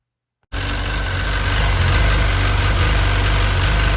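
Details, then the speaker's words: Sea-Doo 951 DI two-stroke after custom rebuild, air system fed shop compressed air at a steady 80 psi, fuel pressure steady against a 107 psi spec; catches and settles to smooth, even idle around 1450 rpm, no misses; normal idle. "all right so with compressed air at 80 psi into our fitting here we're running smooth steady we should be idling at around 1450 rpm that's perfect"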